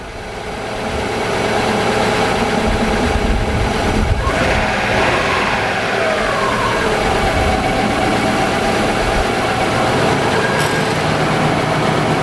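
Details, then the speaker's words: Subaru RS Liberty AWD turbo, after sitting 10 years, idling once the injectors were working, AC switched on: steady turbo-four idle, compressor clicks on about four seconds in with a slight load change; normal idle with AC compressor engaged. "compressor kicked in so whether that means it works or not I don't know"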